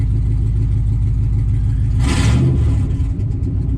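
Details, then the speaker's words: 2003 Dodge Ram 1500, 4.7 Magnum V8 with 255,000 km, just started: deep, loud, raw rumble with a rev swell mid-clip, booming with no muffling; exhaust shot, pipes rusted through and leaking. "She's loud. And the exhaust is shot."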